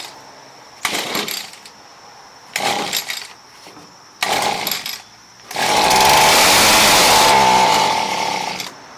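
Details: Echo SRM230 hedge trimmer with a no-start, runs-and-dies fault: three short pull-start bursts that die, then a high buzzing run for about three seconds before cutting off; cause not confirmed.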